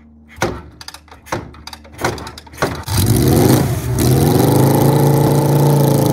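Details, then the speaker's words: 1974 Kawasaki Z1B 900 engine, never apart since factory, run out of the bike on the floor for the first time since 1979, choke on; a few cranking kicks, then it fires, revs and settles to a smooth even idle with carbs balanced using wire and blowing: normal start and idle. "wait it idles beautifully i set them up with little bits of wire and by blowing through them last night"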